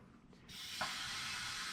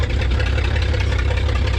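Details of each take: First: 1934 Chevrolet farm truck, sitting 60 years, reverse compression test with air pressure fed into the cylinder: a steady sharp hiss comes out of the exhaust. The exhaust valve isn't sealing. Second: 1934 Chevrolet farm truck six, abandoned in a field for decades, running for the first time: a deep, steady low idle with a slight lope and lots of blow-by. Normal idle.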